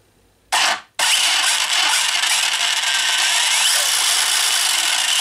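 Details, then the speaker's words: 1/8-scale toy-grade Hennessey Venom GT RC car with a new Surpass Hobby motor, fitted after the old one burned out: a brief blip, then a steady high-pitched electric whir held at speed with no grinding or cutting out. It is back up and running normally. "so as you guys see we are back up and running with this bad boy"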